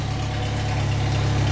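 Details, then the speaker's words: Jeep after rear axle repair (fresh gear lube), jacked up, engine running in gear: steady, even low rumble with no whine or grinding; the earlier loud rear rumble is gone, so the axle runs normally. "have got something right, because it's not making any noise at all."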